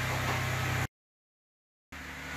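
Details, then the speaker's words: 2013 Lexus RX450h hybrid after the 12-volt battery issue behind the loud rapid clicking no-start was found: a steady, even hum with no clicking; vehicle starts and runs normally. "Hopefully this does it. Looking good. Maybe not. Aha! Success!"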